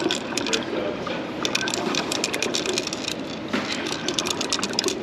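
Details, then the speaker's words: Torque converter removed from a TH350 destroyed behind a 454 big block, rolled by hand: dense metallic rattling and clicking like a pinball machine, loose debris such as needle bearings tumbling inside; converter is done. "That sounds like some needle bearings rolling around."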